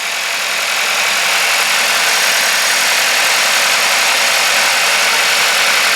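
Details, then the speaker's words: Nearly new salvage VW T-Roc R, listed with a weird mechanical engine noise: at first start it idles smoothly and evenly with steady hiss-like note, no knocks or ticks; sounds healthy. "now weirdly one of the uh problems on the listing was that engine makes a weird noise mechanical problem but to me that sounds absolutely fine can't hear any issues with that at"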